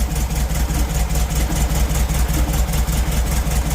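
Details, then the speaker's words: 1972 Volkswagen Beetle started during an oil change: low, throbbing idle with uneven beats that waver instead of holding steady; idling a little rough. "That's the sound I'm used to. There we go. Yeah. Still riding a little rough right now."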